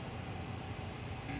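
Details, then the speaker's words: Schindler 330A hydraulic elevator with oil viscosity control active, car idle and not moving; steady even motor rush with low hum, no surging or grinding, during oil warming cycle; normal pump motor running. "watch this and you can hear the motors running and we're not going anywhere"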